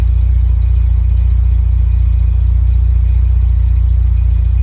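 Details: VW Mk2 Golf GTI, long off the road, idling after starting: steady, even low idle with a regular beat and no misses or knocks; idling sweetly.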